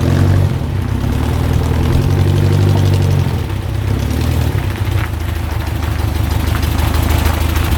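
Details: 1967 Volkswagen dune buggy, restarted after a first ride following a non-running purchase: low, even burble with steady firing, no knocks or ticks; healthy idle, good to go.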